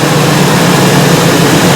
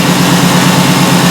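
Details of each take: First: Ford E350 5.4L V8 idling during a scan-tool misfire test with code P0301: steady low drone with an uneven, stumbling beat, cylinder 1 misfiring heavily, cylinder 2 also showing misfires; the coil is pulled next. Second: Ford E350 5.4L V8 van (2010–2014 era) at idle after clearing codes, during a scanner powertrain misfire test: steady, even low drone with no stumbles. The misfire counts that were jumping before no longer appear, so the idle is normal.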